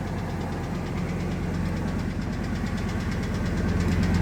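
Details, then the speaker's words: Ford F250 V10 after new headers and injectors: light, uneven ticking of about three per second at idle, much quieter than before but louder on one side. It comes and goes, and oil pressure is good. The owner suspects a lash adjuster or rocker arm. "Well, ticking's a lot quieter. Compare that to the last video though, or the last time now it's louder on this side."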